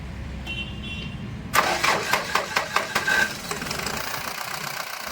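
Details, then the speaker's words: Mahindra Scorpio M2DI CR diesel, started after confirming the fuel pump switches on with the key: about two seconds of rhythmic cranking, then a steady, even idle. Normal diesel start. "गाड़ी start हो गई। ठीक है, इस तरह से आप अपना काम सही कर सकते हैं।"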